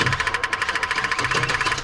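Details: 1984 Chevy truck with HEI distributor, dead 2 years, cranked on a jump pack after the fuel pump relay clicks on: slow, even cranking at about twelve compression beats per second, never firing. Cranks but no start from a failed ignition control module.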